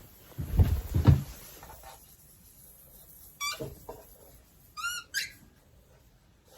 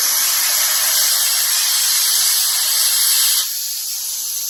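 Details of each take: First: Older air compressor: thumps and chirps, then sharp bursts of air hissing out. The owner thinks the pump was fighting pressure already in the line, and suspects a pressure release valve or a crack. Air leak hiss, cause not confirmed. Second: Air tank holding about 65 psi dumped quickly past a regulator; loud steady hiss dropping slightly as pressure falls, moisture but no water coming out, a normal drain blowdown.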